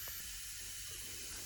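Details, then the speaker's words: Toyota 2JZ-GE engine leak-down test at about 20 psi: steady soft air hiss heard only from the bottom end, no pulsing or gurgle; low leakage past ring gaps, normal for a healthy cylinder. "I can hear like I can literally hear it coming out of the bottom then which is where it's supposed to come out you know because you got ring Gap and all that so yeah that's you're gonna hear some leakage out of there but as long as it's low like this you're good to go"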